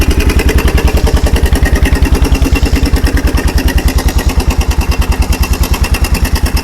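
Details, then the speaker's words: Kawasaki 300 4x4 ATV single-cylinder with new NGK spark plug, in neutral with no choke and running with no air filter fitted: steady putter of about 200 beats a minute with no knocks or misses; normal idle. "So, we're running without a air filter right now. That's okay."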